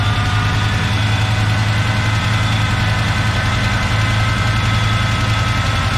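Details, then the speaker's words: 1970 Chevy K10 with a 396 big block, first start after sitting; V8 loping at idle with a light quick tick, good oil pressure; owner unsure whether it's an exhaust leak or lifter tapping. "we got good oil pressure i can't tell if that ticking noise is an exhaust leak or about liquor capping"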